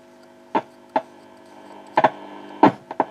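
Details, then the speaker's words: 1950 Telefunken Musical 9650a valve radio, electrolytics replaced, tone circuit checked: only steady low mains hum and dial clicks, no stations across the band; the UCH41 converter/mixer valve degraded and its local oscillator died, fixed by fitting a UCH42. "Bueno, revisado el circuito de lo que es el tono, vuelvo a mi problema fundamental, que es que la radio no va."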